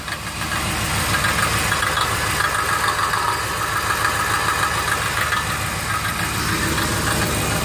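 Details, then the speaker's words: 2003 Ford Explorer at idle, under the vehicle by the catalytic converter: loose, uneven metallic tapping about three per second; converter core came loose inside, self-destructed, plugging the exhaust port and robbing power. "So let me just let this camera roll and listen to this. It sounds like someone's tapping"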